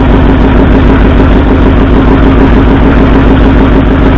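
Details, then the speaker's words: 1964 Ford F100 V8 at idle: a loud, uneven, lumpy beat; pulling plug wires one at a time gave no rpm drop on the driver-side front and passenger-side second cylinders, so two cylinders are not firing. "So it appears we have two cylinders that aren't firing."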